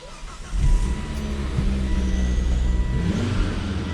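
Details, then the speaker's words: Volvo after reattaching a loose charge pipe that had caused sputtering and refusal to idle: engine catches and settles into a steady, even low rumble with no hiss or flutter; feels perfectly normal, not shooting anything out, seems fixed. "look at here it feels like perfectly normal you got a daily back I think so I think I'm not going to jinx anything yep I think it's fixed it's not shooting anything out"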